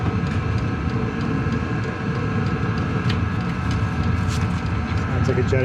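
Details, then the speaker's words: Cheap Chinese diesel heater installed in a 2006 Nissan Frontier, with the fan at full speed after the glow plug shuts off: a loud, steady jet-like roar without rattles or surging, about 74 dB, putting out hot air. "all right so the bull plug shut off now fan speeding way"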